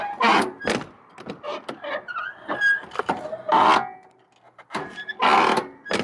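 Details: Old Chevy 3/4-ton fifth-wheel work truck with sagging door: harsh creaks and groans as the door swings from a dry, dirty hinge; fixed by cleaning and lubricating with white lithium grease, carb cleaner and silicone spray.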